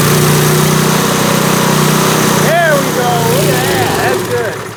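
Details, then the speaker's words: 1970s Hahn Eclipse BHT-120 tiller with a 3.5 hp flathead Briggs & Stratton engine, left sitting for years, 60 psi compression: it putters unevenly for a couple of seconds while the mixture screw is adjusted, then winds down and dies. Runs briefly, then stalls. "Oh, it just quit on me. I was adjusting the air-fuel mixture screw, and it seemed like it was doing a little bit of something."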